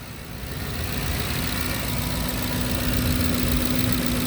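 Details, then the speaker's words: 2010 Ford F-150 FX4 V8 4x4, started with parking brake on, no warning lights: low, steady burble at idle that settles as it warms, no ticking or knocking; starts nicely, healthy normal idle. "Go ahead and start it up here. Starts up very nice. No warning lights. Parking brake is on. Radio's working. Engine sounds pretty good."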